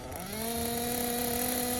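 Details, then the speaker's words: Tekno Blok 21BM nitro buggy engine after the bottom-end needle is returned to its previous setting: clean high scream climbing smoothly and holding steady, idle and bottom end sound better; normal, well-tuned running. "so we'll go back to where we had it set before and there the idle sound better it all just sound is better"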